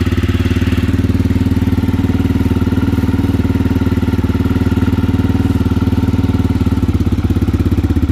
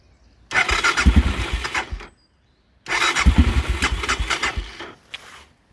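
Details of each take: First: Aprilia motorcycle engine after installation, first start once the carburetors were primed: strong, even low thump of about three beats a second at a clean, steady idle with no knock or rattle; slight smoke from exhaust sealer burning off. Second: Aprilia motorcycle, first start after engine install with 50/50 coolant refilled: two short bursts of uneven firing that stumble and die within seconds, won't keep running; hesitant starting, owner suspects carburetors not yet filled with fuel.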